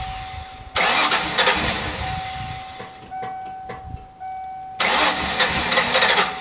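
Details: 1995 Mustang Cobra after new fuel filter, old gas drained, fresh high-octane fuel, lines being primed: two long bursts of fast starter cranking separated by a pause, no catch; cranks but won't fire, likely air in lines or fuel starvation.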